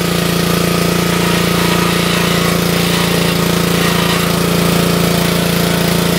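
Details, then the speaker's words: Wood splitter Honda engine, sat 5 to 10 years, after carburetor replacement (Honda 16100-Z1A-802): steady, loud, even drone with constant firing beat holding up while splitting a wood block under load; pulls cleanly. "We'll test it out with a block of wood. It's always good to load test the equipment, guys, because it requires more fuel when you put any piece of equipment under load."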